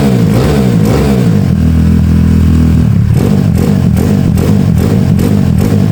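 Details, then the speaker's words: Honda Beat carburetor scooter bored up to 130cc, 2+ years of daily use, with racing exhaust, raised compression, new cam and piston, KW PE26 carb; deep even exhaust note swelling with throttle blips, no knock or rattle, engine runs cool; normal revving. "tadi gua gua udah tes tuh enak banget geberannya. Mantap. Suaranya juga halus. Suaranya halus, Guys."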